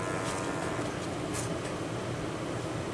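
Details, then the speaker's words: Wanhao Duplicator i3 / Monoprice Maker 3D printer cooling fan at 12 volts after worn-fan repair: quiet, even whir with a faint hum, buzzing gone, slightly off balance: normal cooling fan running. "see it's spinning and it no longer is buzzing i don't even know if you can hear it yeah it's it's really smooth now"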